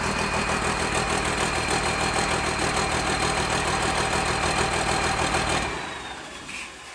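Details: Dodge Cummins diesel: uneven, lumpy idle at about three beats a second, then the engine is shut off; running rough, cause not confirmed.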